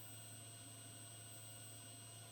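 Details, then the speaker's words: Car amplifier, heard through speakers: quiet, steady hum with thin whining tones and hiss; whine worst when amp is cold, about half as loud once warmed up. "whine the amplifier makes, it's now worst when amp is still cold With warmed up amplifier the noise is about half quieter"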